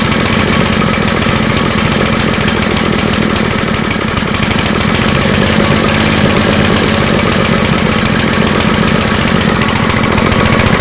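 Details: Engine running on a homemade tri-fuel conversion kit; harsh, ragged running with no clean steady beat and much rattle: rough running. Owner suspects the hose's tiny inner diameter restricts fuel flow; unconfirmed.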